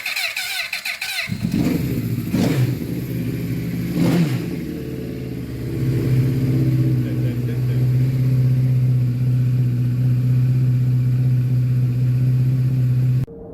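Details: Honda CBR1000RR Fireblade, a former non-runner, running after starter clutch one-way bearing work: cranks, catches and settles into a steady, even idle with a clean low tone and no knocks or rattles.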